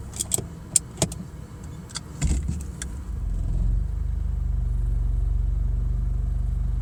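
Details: BMW E46 automatic: a few light clicks, then a deep steady thumping about four beats a second with vibration, strongest at driver's seat, when shifted from P into D or other gears except neutral with foot on brake; cause unknown.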